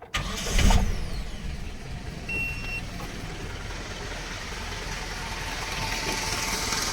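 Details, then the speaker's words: Dodge Raider 2.6L 4G54 with Weber 32/36 carburetor, after electric fuel pump conversion (Carter P90091), engine warmed up after a drive: fires straight up on a short crank and settles into a smooth steady idle. "Took the truck for a drive. She's all warmed up. Fires right up just by bumping the key."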